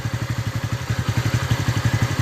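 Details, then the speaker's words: TVS Ntorq scooter after the engine was reinstalled and the loose magnet tightened: steady even idle, soft regular pulses around eight per second with no rattle or knock; the engine sound problem is solved. "अब ये सन का रहा है ना अभी अच्छे तरह से सावन ए रहा है"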